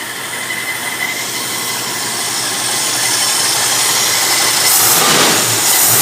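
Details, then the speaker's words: 1965 Mustang 289 V8 after installing a new two-barrel carburetor, running slightly rich: steady, even idle with smooth exhaust hiss, no knocks or misses; normal idle, runs far better than before. "man it runs way better than it used to holy crap what a difference that makes"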